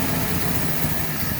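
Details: 1948 Chevy coupe, straight-six, running again after 55 years off the road, pulling its own fuel after a squirt down the carburetor: even low rumble, steady firing beat, no misses or pops, idling smoothly.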